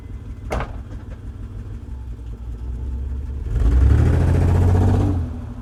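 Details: Base model 1995 Mitsubishi 3000GT V6, no check engine light, sometimes runs rough idling and driving: uneven fluttering exhaust pulse at idle, brief rev, settles back; misfire suspected, not confirmed.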